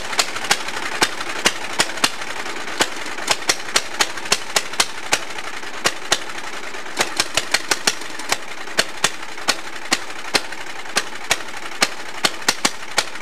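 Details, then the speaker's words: Allis-Chalmers racing tractor with swapped engine, governor removed, open pipe: fast loud sharp popping exhaust racing high unchecked; kill switch failed because its wire unplugged, engine nearly ran away. "wow that could have been really bad full uh runaway engine and everything jeez"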